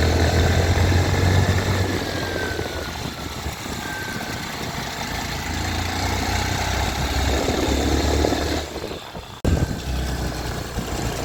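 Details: Mottu TVS Sport 110 single-cylinder idle with an uneven, rough low beat of about four pulses a second and a faint rattle over it; strange engine noise, cause unclear.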